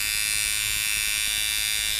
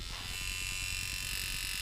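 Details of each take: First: Mojobox tattoo machine tuned at about 6-6.5 volts: steady, even high buzz with no choppiness or rasp; normal smooth running. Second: Mojobox tattoo machine: fast electric buzz with thin whine and uneven stuttering beat; impact screw backed out too far, less of a problem at higher volts.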